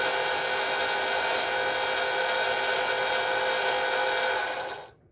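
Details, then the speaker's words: Ford Mustang S197 3.7L V6 single-turbo build, oil scavenger pump at switch-on: loud harsh high-pitched whine held several seconds, stops at switch-off; owner suspects a bad pump bearing. "it's really loud when you turn it on it sounds like almost a bad bearing in the pump so i'm leaning towards it's a bad pump"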